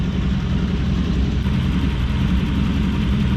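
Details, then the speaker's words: Toyota LN106 Hilux with 1UZ-FE V8 swap and automatic: steady idle with uneven lumpy beat, possible misfire; plugs found standard, one heat range too cold, iridiums suggested. "this sounds a little bit lumpy eh can you just put some plugs out and have a quick look at some plugs on one side the easy side"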